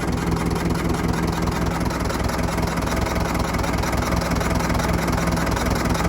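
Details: Old Fordson Major diesel tractor, revived after 20 years standing, oil pressure holding: steady, even idle chug nearly two beats a second with no knocks or misses; engine sounds healthy.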